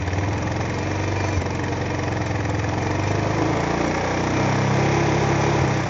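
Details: Kawasaki Bayou 220 ATV, idling right after oil and filter change: steady, even single-cylinder putter with no knocks, ticks or misses; healthy.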